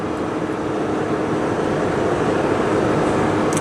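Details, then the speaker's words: Ford F250 6.7 Power Stroke diesel towing an 11,500 lb travel trailer uphill on a 100-degree day, about 1,500–1,600 rpm, 65 mph, holding 6th gear: a steady, quiet drone of road and wind under a light engine hum, no knocks. "There's just not much noise at all. So it just doesn't make a lot of noise."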